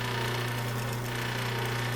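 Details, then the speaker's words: 1936 Maytag Model 30 washing machine motor running after decades in storage: short steady low electric hum that rises and falls unevenly; owner suspects it's because the motor isn't bolted down. Uneven motor hum. "yes now there's a little noise it's not an even home it's a rise and fall as you can hear at least I've seen you can on this video"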